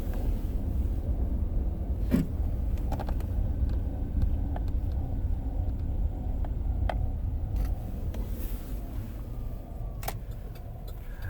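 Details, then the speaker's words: 2007 Chevy Tahoe LTZ 5.3 L driving uphill at light throttle, fan and radio off, phone near the floor (35,000 stated): low steady engine rumble with scattered faint clicks. Slightly quieter as the engine warms; cause unknown. "It gets a little bit quieter as the oil heats up and as the engine heats up, but not much quieter."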